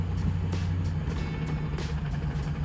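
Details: Land Rover Discovery I after a new clutch and bushings: no noise with the clutch pressed in, but with the clutch engaged a rough whirring rumble rides on the engine drone; gearbox noise still unresolved, cause unknown.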